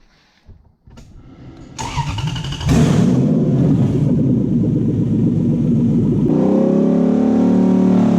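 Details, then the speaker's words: Toyota Hilux with Lexus V8 swap, cooling system bled and engine properly warmed for the first time; catches, revs briefly, then settles to a smooth, lower, even idle without misses or knocks, normal warm idle. "For the first time, it's been warmed up properly, and the idles come down really nicely."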